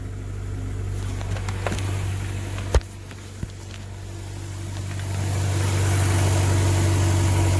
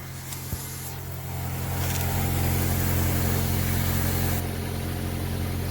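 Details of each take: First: 2000 Honda Accord with no power, cold early-morning start: uneven, lumpy idle with steady low drone and faint rattle underneath, little air from the exhaust, possible exhaust leak suspected; clogged catalytic converter. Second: 2000 Honda Accord with no power from a clogged catalytic converter, after the cat was gutted and the O2 sensor refitted: smooth, even, quiet idle with no ticking, rattle or exhaust leak.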